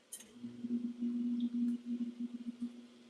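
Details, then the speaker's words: LG ThinQ MEGA Ultimate washer on the Shoe Wash cycle, cold water, no spin, pre-wash on: quiet high-pitched squeaking chirps from the drum over a faint hum, source unknown. "Oh, yeah. It's kind of squeaking in there. You can hear it."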